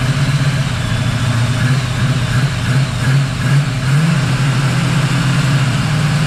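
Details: 1979 Camaro Z28 V8 warming after swapping the noisy Pete Jackson gear drive for an Edelbrock Performer double-roller timing chain, new balancer and water pump. Steady, even low rumble with no gear whine or clatter. Normal idle.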